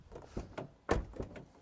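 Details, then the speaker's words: Car door closing after adjusting its latch at home: a few solid, clean thunks as it shuts and latches, with no rattle or double-catch; the door now closes properly. "Orqa eshik mana shu taraf ham zo'r chiqdi. Mana shu taraf ham qiynayotdi meni. Maza bo'ldi."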